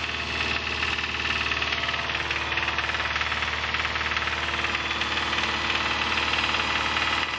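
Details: 2005 Subaru Impreza 2.5RS flat-four, 100k miles: hard, regular metallic knocking over idle keeps pace with the engine; teardown showed a bad #1 rod bearing, and the engine was replaced with a used one.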